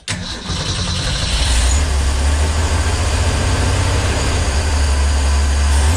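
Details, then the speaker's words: 1965 Ford Econoline van stored since 2011: heavy low churning cranking for several seconds without catching, carburettor dry; mechanical fuel pump failed, diaphragm believed torn, no fuel reaching the line. "I don't think so this fuel pump might have finally given up the ghost"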